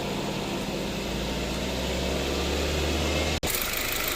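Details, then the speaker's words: Mazda3 after AC line, O-ring and compressor parts replacement, engine revved while parked in sun: steady engine hum with smooth compressor whir, no grinding or squeal; compressor cycling on and off normally. "ทำงานค่ะมีคำตัดนะคะคอมแอร์ตัดต่อปกติคะ"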